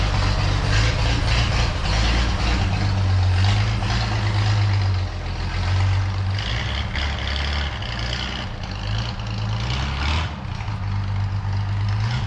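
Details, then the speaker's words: 1932 Chevy truck "Rockabilly Rat", old six after a tune-up, running like it used to: steady low rumble with an even beat, no misses or stumbles; normal healthy running. "oh I love this old truck it is so much fun um yeah he's running like he used to and my confidence is back"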